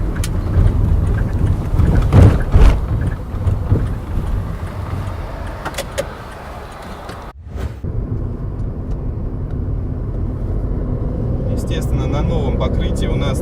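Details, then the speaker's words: VW Polo Sedan, heard from the cabin, with knocks that began around 10,000 km: over rough, defective asphalt there are irregular dull, rubbery bouncing thumps that fade on smooth road. The owner suspects the automatic gearbox mount and is also worried about the steering rack. "как только мы выезжаем на дефектный асфальт мы получаем вот эти вот прыгающие звуки это возможно как раз опора коробки передач"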